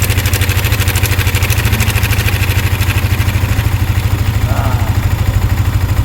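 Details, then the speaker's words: Yamaha Sniper 155 at 15,467 km after cam chain tensioner repair and adjustment: steady, even idle pulse of about three beats a second with no chain slap or ticking. Normal idle after repair. "Ayan yung normal na tunog niya. Ganyan dapat."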